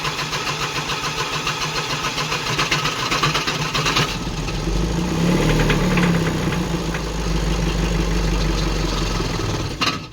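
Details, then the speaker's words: VW Crafter campervan diesel, which had been smoking heavily with unburnt fuel smell and cut out when hot, idling after a hot restart with a rough, uneven metallic knock over the clatter; sounds like a rod bearing but believed to be injector knock, unconfirmed. "You can hear a knock, and if you're not familiar with cars, that sounds like engine gone, like rod bearing, but that is actually commonly known as injector knock, and it just sounds like the metal is hitting something, and it does not sound nice at all."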